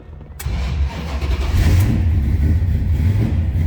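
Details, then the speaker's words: 1970 Dodge Dart Swinger, 360 V8 with Edelbrock intake and automatic transmission, push-button start, cold start: brief crank, catches at once into an even, lumpy rumble, starts easily, oil pressure rises nicely. "starts easily i did have the wipers working earlier wipers were fine take a look at the gauges and oil pressure over here grows nicely volt meter when i noticed didn't get any movement out of the fuel gauge fyi attack works let it warm up here a little bit that was a cold start"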